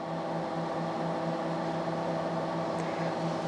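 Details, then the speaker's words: TDI Dynaload RBL 100-300-2000 2 kW electronic load, reassembled after full teardown and cleaning, at power-up, fans in the load and power supply starting: smooth, steady low-speed hum, no rattles or bearing noise; cooling fans normal. "That start up. Probably hear that other fan kicking in. So, fans are running here. Fans over in the power supply."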